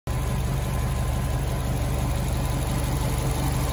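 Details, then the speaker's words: 2006 Subaru STI after fouled spark plugs were replaced to cure a cylinder 4 misfire: deep, steady flat-four burble at idle with no stumble, now running smoothly on all cylinders. "no roughness in cylinder four no more."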